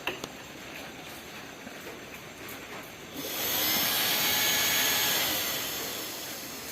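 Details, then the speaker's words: Yamaha Vixion motorcycle radiator fan jumpered directly from the relay wiring with the ignition off: quiet at first, then a steady, even rushing whoosh that holds smoothly; the fan works. "Nah ya berputar saya Sekali lagi saya akan jumper ya yang tadi kabelnya Hai ke teman-teman jadi kipas ini berfungsi yang masih aktif"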